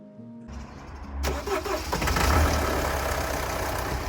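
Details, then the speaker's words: Mini Cooper D diesel, started after crank pulley and auxiliary belt refitted (tensioner released with 21 mm spanner); cranks, catches, settles into steady even diesel idle clatter, earlier brick-in-washing-machine rattle gone; sounds good, normal idle. "as you can hear this is the mini coopa D the diesel version so that sounded good"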